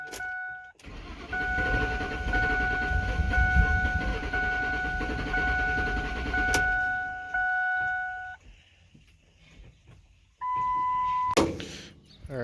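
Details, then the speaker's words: Ford with a 5.4 two-valve engine, crank no start: long steady cranking with a faint whine, barely trying, no catch; no fuel pressure, fuel pump not heard, inertia switch not tripped; suspected failed fuel pump, fuel pump driver module, or wiring. "it's barely trying this thing's got no fuel pressure I can't even hear the pump kicking on back there and check the inertia switch it's not tricked"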